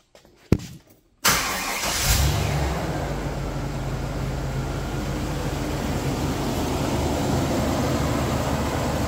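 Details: 2000 Chevy Express 2500 van with the 5.7L engine, started after replacing the water pump, power steering pump, radiator, hoses, thermostat and a damaged hose O-ring. It catches cleanly and settles to a steady, even low idle; reaches operating temperature with no leaks.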